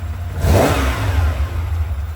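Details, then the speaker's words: 1979 Ferrari 512 Boxer, four triple Webers after rebuild and tuning (previously spat and backfired, hard off idle): quick throttle blip rises cleanly and settles back without spitting, popping or stumbling; normal throttle response. "we can snap the throttle and it'll it'll actually move now. It'll actually respond."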